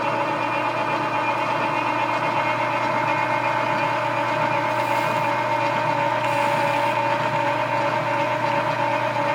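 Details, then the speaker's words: Lathe taking a heavy cut while turning spring perch sleeves. Steady hum with a rough rubbing hiss and irregular flutter from the worn dual drive belts running through the gearbox, not tool chatter. "a little bit of rubbing you hear it's not chatter on the tool this has a dual belt drive that goes through the gearbox and those belts are desperate need of repair so when it gets in there starts taking a good bite they get a little noisy"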